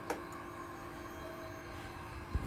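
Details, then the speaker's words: Honda Scoopy, key switched on to check the fuel pump (suspected cause of hard starting, sputtering, weak running): a faint steady electric whir for about two seconds then a click; the pump is priming normally. "yang paling bagus atau file pump bisa dikatakan bagus itu adalah ketika ada bunyi putaran dari fulpam kita akan coba sekali lagi untuk bunyinya dah untuk bunyi tersebut berarti menandakan fulpam itu bekerja ya"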